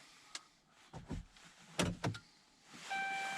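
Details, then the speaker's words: 2012 Ram 1500 Hemi during key fob programming with an X-Tool D8; a few dull clunks then a clear steady ding for about a second, the normal chime as the ignition is switched on. "so hopefully you can hear that Ding our ignition is on"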